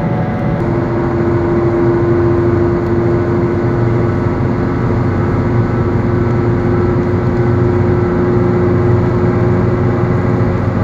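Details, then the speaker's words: Car driving with a worn wheel bearing: steady low hum under road noise with a faint constant tone, which worsens over time into a growl intensifying with speed and load on the bearing. "roblem progresses the humming gets ever more worse and at the final phase the sound is almost louder than the engine it goes from humming to a sort of growling which intensifies as you drive faster and there's more load on the bearing"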